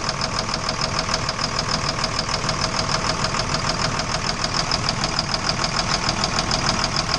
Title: Engine Knock